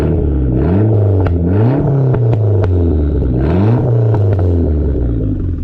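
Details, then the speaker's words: SRT-4 unknown engine, completely resealed, new upgraded fuel system, oil leak fixed, up to temperature at first start-up: clean rising and falling throttle blips with a crisp, even exhaust note, no knocks or rattles; normal light revving. "It's gonna be a beast. That's some little baby revs."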